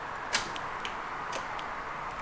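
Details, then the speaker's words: Honda Prelude INX with 1980s JDM aftermarket remote starter, during install. A few sharp isolated clicks from the receiver box with button presses but no starter cranking; relay clicks, starter not engaged, antenna later found unplugged. "I will now try again we stand back stand clear the cars making it click"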